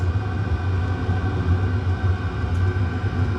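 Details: Chinese diesel heater running a 50/50 gasoline and waste oil mix, turned up from setting three to six, temperature reading rising past 200 toward 212+. A steady, even low roar with no surging, knocking or sputter; burning cleanly at its high setting.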